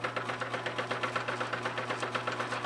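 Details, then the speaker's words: 1935 South Bend 9-inch Model C workshop lathe, 3 ft bed, running: even low hum, belt system at back ticks lightly about eight times a second depending on speed, otherwise smooth and quiet, normal. "The belt system back here ticks just a little bit, depending on the speed you're in. But all of this sounds nice and smooth and quiet, which is good."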